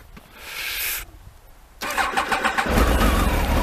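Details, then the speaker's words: Stone-cold motorcycle cold start: short starter whirr, engine catches at once and settles into an even idle, revs rising after; owner says it runs perfect. Normal cold start. "Starts straight away, and it's fucking. So you'll hear the revs rise in a minute."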